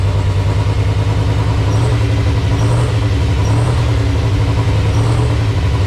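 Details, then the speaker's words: V8 on first start after a Terminator X EFI wiring install, running on handheld base settings only: low, lumpy idle that wavers and never settles. Owner suspects the tune; cause not confirmed. "okay well it starts doesn't sound very good though maybe it's just in the tune"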